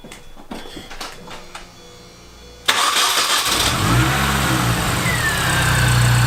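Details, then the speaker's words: Mini after ignition overhaul with new plugs and MSD wires: cranks briefly, catches cleanly and settles into a smooth, even idle; stuttering and stalling gone; normal start and idle. "we just got back from a test drive and it runs good a lot better than it was it doesn't have the same stuttering issue"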